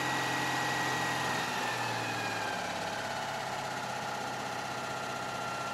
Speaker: seems to be running smoothly now